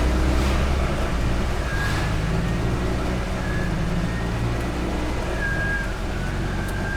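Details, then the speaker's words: 1972 Invacar Model 70 three-wheeler climbing a big hill in heavy rain and floodwater, CVT wet: laboured engine drone under load with a thin, wavering whine coming and going above it as the CVT drive belts slip. "Oh, now we got a really, really big hill. And the belts are slipping."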